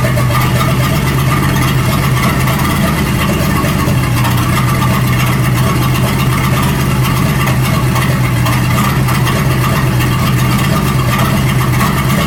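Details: 1937 Buick Roadmaster with an apparently rebuilt Stromberg carburetor, after the idle screw and idle mixture screw were set: a smooth, even low idle with no hunting or misses. It sounds much better but still needs fine tuning. Normal idle.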